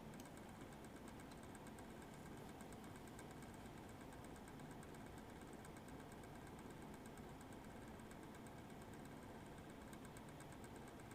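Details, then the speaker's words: Eight-year-old MSI Radeon HD 7970 Twin Frozr III with worn original fans, under full benchmark load on a Threadripper system: loud fan rush with an uneven, fluttering pulse, separate from the coil whine; the cooling fan is worn out. "you should be able to hear the irregular fan spinning separate from the coil wine"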